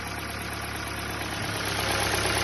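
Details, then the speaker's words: Ford New Fiesta with the Sigma variable-cam engine at 121,000 km on a cold first start. A steady light knock comes from low in the block: piston skirt slap, expected to fade after a few minutes of warm-up. "já já vai sumir esse barulho aí barulho na parte de baixo saia de pistão de motor"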